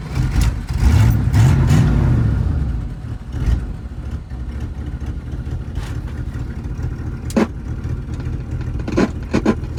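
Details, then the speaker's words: 1983 Dodge D150 Prospector V8, revived after about 25 years parked, warming up; starts with a rev then settles into an even, low idle with no knocks or misses. Normal running. "Something that hasn't ran in 20 years or whatever. She sure purrs like a kitten."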